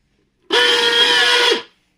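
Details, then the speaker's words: Koryo mixer grinder, which also trips its overload switch after 2–4 seconds of grinding, switched on: motor runs about a second with harsh loud whine and rattle. Worn motor sleeve bearings (bushes). "तो दोस्तों देखा आपने जब हमने इस mixer को on किया तो एक तेज आवाज के साथ यह मिक्सर चालू हुआ है।"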